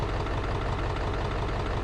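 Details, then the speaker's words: 2002 Ford F250 7.3 Power Stroke diesel after ICP sensor work: cranks and runs very rough, lumpy unsteady idle; check engine light on, owner suspects fuel filter issue, cause unconfirmed. Finding: rough idle. "that is still a crank but it is not happy that is running very rough ah"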